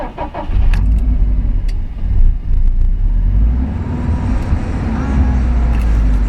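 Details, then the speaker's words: Car cold-started at 38°F after sitting about 8 hours: deep uneven rumble surging and dipping by itself at idle, computer-controlled, not settling; rough cold idle, cause unclear. "it is cold outside so it's um 38° car hadn't been started in about oh 8 hours let's see how she does"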